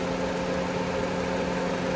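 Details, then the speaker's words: Honda Civic started with a jump pack on a low battery reading 10 volts: starts smoothly and settles into a smooth, even idle with a steady low hum, no misses or surging; charging at 14.1 volts, so the alternator is working. "see how it starts off a lot smoother and now as you can see it's at uh 14 volts 14.1"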